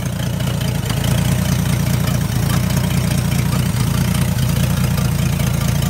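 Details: Old Dodge D300 military truck, revived after about 20+ years standing under a tree: a deep, even low rumble with steady pulses and no misses or knocks. It is idling cleanly.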